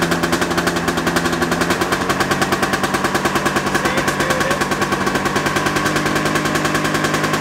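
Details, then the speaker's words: 1987 Yamaha Exciter 570 snowmobile, sat about 13 years, started on electric start with choke; crisp, rapid two-stroke popping at an even idle with no stumbles or misses. "yeah it starts right up idle's nice don't mind these red lights they barely mean anything"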